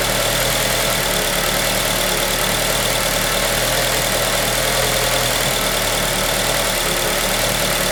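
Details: 2003 Acura RSX Type S idling: steady hissy drone with a faintly uneven low beat underneath; rough idle, cause unknown.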